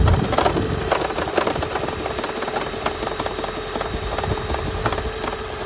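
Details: 2010 Gen3 Prius, 395,000 km, engine cool: a rough, stumbling start with uneven pulses before a shaky idle; a head gasket leaking coolant into cylinder 1 caused it, and replacing it fixed the engine.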